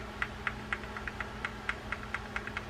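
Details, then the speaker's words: Reel with spool adjuster set for a slight knock: light, evenly spaced ticks about four a second as the spool turns, the correct setting; too much knock is wrong, too little runs tight. "That's the right set. Too much knock uh is not going to be the right set. And too little knock and the reel's going to run tight."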